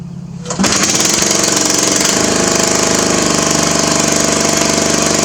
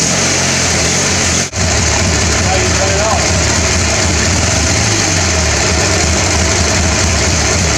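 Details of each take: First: Craftsman mower with muffler removed: starter catches, then loud raw rapid barking exhaust rattle at steady speed; engine running without muffler. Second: Riding mower small single engine after draining water from the gas tank, cleaning the carburetor and greasing the starter: steady, even speed with a smooth unbroken note after one brief dropout; runs normally.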